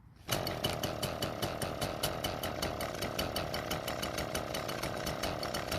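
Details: Echo two-stroke string trimmer starts and holds a steady putter about four beats a second but won't rev up to full speed; carburetor, throttle cable or butterfly problem suspected, not confirmed.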